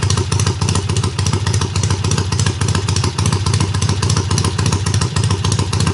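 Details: Triumph hardtail, first runs after the engine sat on a workbench almost a year, fired on the second or third kick; clutch needs adjusting: crisp, even exhaust pulses about three and a half per second, loud but regular, no misfires or clatter; normal idle.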